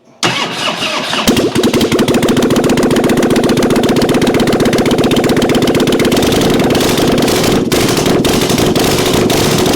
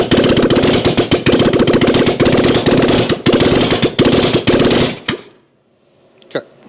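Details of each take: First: 1997 Harley-Davidson Springer Softail after carburetor work with accelerator pump now squirting fuel: quick crank, catches cleanly, settles into loping, even V-twin idle about four pulses a second, no stumbles; carb fixed, running properly. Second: 1997 Harley-Davidson Springer Softail revival, carburetor accelerator pump not squirting fuel after cable adjustment: loud, choppy, uneven firing that chokes and cuts out on throttle blips; clog suspected in pump passage/check valve, fix unsuccessful, carb to be redone.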